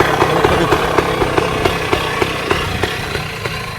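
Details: 1966 Bultaco Lobito, a high-compression two-stroke woken up after storage: loose, burbling idle with distinct pops about three or four a second over a raspy exhaust; a normal, healthy idle.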